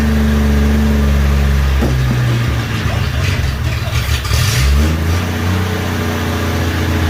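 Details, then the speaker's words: 1963 Rambler, first start after coolant added and radiator replaced: loud, raw open-exhaust bark dipping and climbing with throttle blips, no muffler fitted; smoke from oil and brake fluid on the exhaust manifold. "no muffler on it either but she's a little on the loud side but god just seems to be working at least one project's going right"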